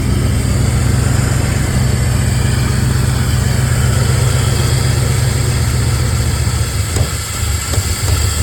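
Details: Engine with exhaust leaks, runs rough, tries to stall when braking, minimal power, no check engine light: loud low idle with uneven lumpy beat dipping and stumbling; owner suspects timing, cylinder head, distributor, CMP or MAP sensor.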